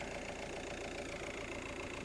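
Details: 2003 Ford Galaxy 1.9 TDi PD diesel at idle: quick even clatter with slightly wavering tone. Crank sensor AC signal low under half a volt at idle; injection quantity climbed before stalling. Cause unconfirmed.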